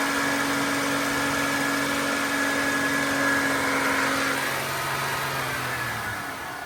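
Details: GM 3.8 liter (3800) engine, raised speed to purge coolant air: steady, even hum easing down slightly near the end; smooth, healthy running with no knocks or rattles.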